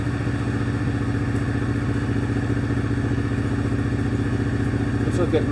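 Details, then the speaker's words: Possibly 2006–2008 Pontiac G6 (complaint: runs rough, check engine lights, antifreeze smell) idling during a scan-tool misfire-data check: even low idle pulse at a steady beat with no audible skips; doesn't sound like it's missing much. "data doesn't sound like it's missing too much how hot is it"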